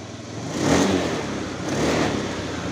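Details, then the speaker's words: Honda Moove scooter after the fuel pump was replaced to cure stumbling, bogging and hard starting; kick-started because the battery was weak after long storage: steady idle, and two throttle blips rise and fall cleanly with no bog. This is normal revving. "ก็เดินเบานิ่งปกตินะครับนี่เวลาเบิ้ลครับนี่นะครับไม่มีวูบนะครับไม่วอดแล้วนะครับนี่โอเคเลยนะ"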